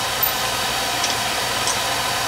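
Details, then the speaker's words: Home oil burner after fixing untightened nozzle, weak transformer noted: steady hissing roar with no puffing or flutter while extra oil from failed starts burns off; normal firing. "you know you got a lot of extra oil in there because it's not firing right well because it wasn't firing right now let's burn that off"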